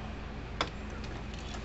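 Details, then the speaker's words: American Farmworks 120 mile fence charger on the bench, its indicator light no longer flashing; faint sharp single tick over low background hum. Normal steady pulsing. "so we're going to plug this thing in here clicking right along now it does not have a light on it doesn't flash a little light anymore"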